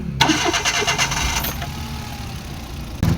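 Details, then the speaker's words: Suzuki DA64 with K6A three-cylinder, previously misfiring badly, after fluid treatment inside the engine raised compression from 130 to 175 PSI, equal on all three cylinders: brief crank, clean catch, even idle with no stumble or shake; engine now very smooth. "Yung makina ay sobrang smooth na."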